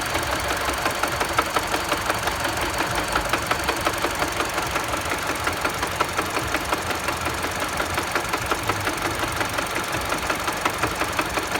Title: Mini Cooper Engine knocking and TruckTecMate diagnose fault Using 5 senses, Done.